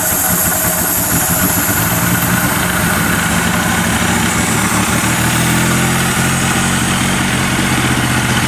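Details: 1978 Datsun 280Z donor car that sat outside slightly seized, with oil put in the cylinders, running on old two-stroke gas from a hand-held fuel line: loud, lumpy, uneven running with the throttle worked by hand; it smokes.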